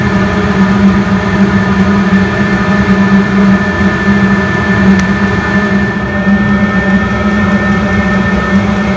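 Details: DIY diesel heater with its fuel pump cranked up to higher speed as the space warms: a steady, even hum with a low drone and a faint pump tick underneath. Normal running at high output.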